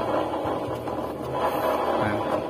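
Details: Honda Vario 150 scooter pushed along with the engine off: a rough, steady growl from the rear wheel. The testing compares two bearings to find which one causes it, and a rusty bearing is found.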